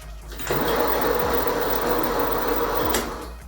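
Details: Xiaomi Mi electric scooter rebuilt with a new controller and display after damage from a Scooter hack app: the hub motor spins up with a harsh, chattering, sewing-machine buzz, which is phase wires connected in the wrong order. The owner first thought the motor was broken.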